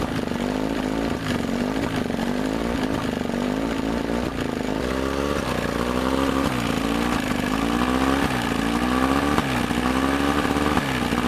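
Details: Evinrude two-stroke outboard just restarted after water pump impeller replacement: fires and settles into a steady, even buzz with constant pitch, no knocking, misfire or stumbling; normal running.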